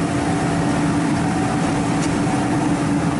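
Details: Ford E-150 5.4 L V8 at idle, no code: steady idle with dull, slightly uneven beat, constant dead miss; PicoScope traced it to cylinder 3 and a failed ignition coil, replaced.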